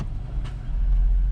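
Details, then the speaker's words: 2018 AWD police Dodge Charger after wiring cleanup, aftermarket items removed and fresh trunk battery fitted, earlier stutter from electrical resets: deep even low rumble as it drops into drive and creeps forward, no stutter or dropouts; running normally. "And we can. Can we roll forward a little bit? Yes, we can."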